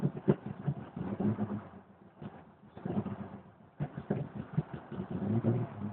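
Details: 1992 Jeep Cherokee, petrol six-cylinder, first cold start of the day at about 24-26°C: uneven bursts of cranking and sputtering that fade and return before it stumbles into weak revs; hard starting, mostly just cranks, cause unclear.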